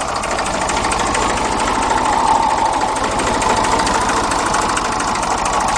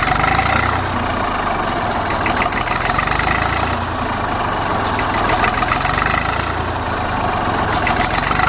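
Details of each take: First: Old Ford Dexta diesel tractor, possibly 1950 or 1951, idling around 400 rpm: steady chuffing with a constant rough roar; owner says the water pump bearing has roared for a year, not leaking yet; suspected water pump bearing. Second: Old Fordson Dexta three-cylinder diesel tractor, about 1950–51, just cold-started: even, steady diesel clatter at slow idle, owner estimates about 400 rpm; no misses or knocks, healthy.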